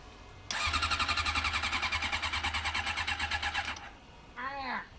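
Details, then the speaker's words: Honda CM400 carbureted motorcycle that sat outside for at least a week, cold; steady starter chug about four pulses a second with no firing; cranks but won't start, dislikes cold starting. "It should have at least fired by now. What are you missing? There's something else, because even my moped. This bike does not like starting in the cold at all."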